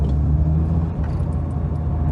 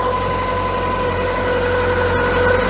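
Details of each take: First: MK2 VW Scirocco that failed its MOT on emissions while running on 3 cylinders with mangled, oily plugs, now after an old-fashioned water decoke. Steady, even low rumble with no stumble or miss. Normal running on all cylinders. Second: VW MK2 Scirocco 8-valve petrol that failed its emissions test running rich and on three cylinders: uneven, lumpy idle with faint irregular stumble while warming up, smoothing when an intake air leak is probed; rough idle from vacuum leak, mounting screws to be tightened.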